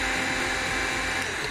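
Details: Eberspacher Hydronic 30 kW heater (second unit), parts remounted and restart tried: only a steady, even fan whir and no burner roar catching; no ignition.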